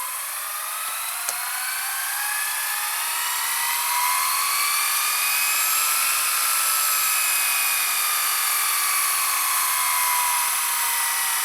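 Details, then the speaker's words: Panasonic SA-HT820V VHS VCR/DVD combo, super jet speed rewind: a steady high whir that swells slightly as the reels spin up, even and free of scraping; normal fast rewind. "Rewind. So this is the super jet speed rewind."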